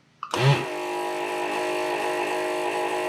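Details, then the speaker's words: Pace MBT-250 rework station vacuum pump, tested after repair with its dense inline filter cleaned and refitted: a short thump, then an even, steady hum with no rattle or labouring; normal vacuum pump suction. "still sounds pretty good"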